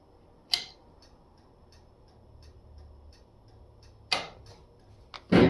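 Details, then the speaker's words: 1951 Chevrolet Styleline Deluxe, Powerglide transmission, rewired signals after 12-volt conversion: light, even hazard flasher ticks about two to three per second under louder handling clunks; flasher working normally again. "you can hear that flasher going which is actually nice to have again"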